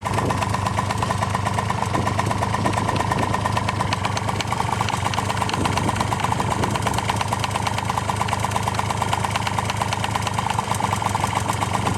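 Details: Honda Tact AF24 moped engine, running cold: fast uneven rattle-knock, about three per second, over rough running; knocking began along with heavy smoke, which owner doesn't blame on a clogged muffler; knock cause unknown.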